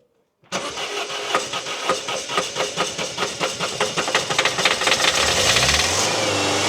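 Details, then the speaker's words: Citroën Berlingo diesel after injector work and fuel priming: cranks a few seconds, catches and settles with no more injector chuffing, sounds much better; a weird idle remains, to be diagnosed via codes. "so it starts and it runs it sounds loads better look so that sounds good straight off the bat"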